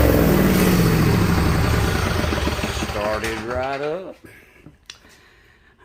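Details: Craftsman DYS4500 mower with 22hp Briggs & Stratton Intek fires and runs with a strong, even rumble, briefly rising in pitch before cutting off; healthy running after the split fuel pump pulse tube behind the no-start was temporarily fixed.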